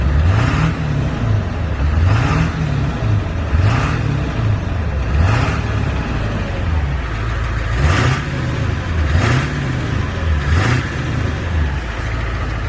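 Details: 1999 Ford F-350 crew cab dually, 7.3 diesel, ZF6 manual six-speed, about 299,000 miles, engine resealed, new water pump and thermostat: repeated quick blips from idle rise and fall cleanly with no knock or miss; healthy diesel.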